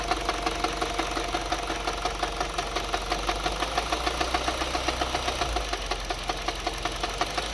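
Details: 2011 Mini Cooper just past 100k miles, full synthetic oil, noise started about 10 minutes earlier and worsened after 2 more miles: steady idle with sharp evenly spaced knock about two per second; owner suspects rod knock.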